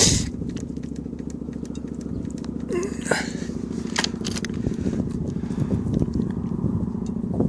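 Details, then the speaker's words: Kohler KD425-2 two-cylinder engine in freezing cold with a broken exhaust: uneven, lumpy chugging with irregular beats and crackles, as if on one cylinder. The owner suspects the cold fuel is not flowing through the small filter, plus lost fuel prime. "That phone was ringing a while ago and it was running on one cylinder."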